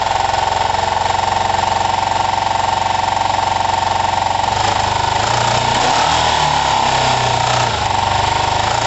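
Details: Kawasaki ER-5 twin, running after carb float height work, with new coils and good spark on both cylinders. An uneven, hollow, choppy idle that stumbles and spits back after a few seconds: rough running. The owner suspects the carbs; the result seems only slightly better.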